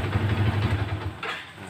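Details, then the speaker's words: Yamaha Vixion motorcycle with blinking indicator light, caused by headlight wired from ignition output draining battery; after fix, steady even low idle with no misses, charging reads about 14 V, normal. "pengisian normal masalah sudah teratasi"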